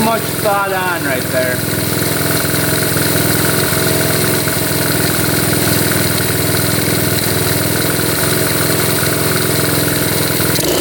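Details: 1972 Honda CT70 single, bought at auction with a bogging problem, holds a steady even idle with quick regular firing and no misses after the points were readjusted; timing F mark lines up with the notch, warming up: normal idle.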